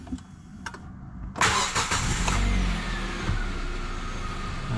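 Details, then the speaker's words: Hyundai i30 FD after ignition (immobilizer) antenna replacement to fix P1693 intermittent crank-no-start: a couple of clicks, then a brief crank that catches at once and settles into a smooth idle; starts normally. "It's gonna start right away."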